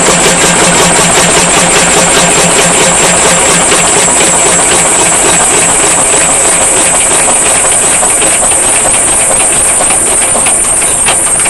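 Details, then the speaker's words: Single-cylinder Lister (Powerline) diesel running rough right from startup, loud clattery uneven firing at about 160 beats a minute, worse even after the fuel system was drained and refilled with fresh fuel. It once ran smooth for the first 30 minutes; owner suspects the injector pump or injector. "Used to start smooth and run rough, and now it pretty much just runs, as you see, pretty rough right from the get-go."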